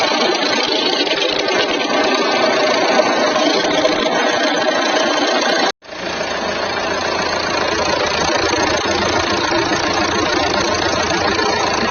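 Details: Jeep Compass 2.0 diesel after replacing a pulley on the belt side to cure an odd noise, alternator bench-tested fine: even, steady idle clatter with no squeal, chirp or rattle.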